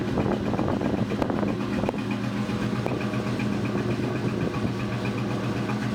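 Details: 2002 Ford Mustang GT idling after a thread insert was installed in cylinder 3: lumpy, uneven idle with occasional stumbles breaking the exhaust rhythm as one cylinder misfires; cause suspected, not confirmed.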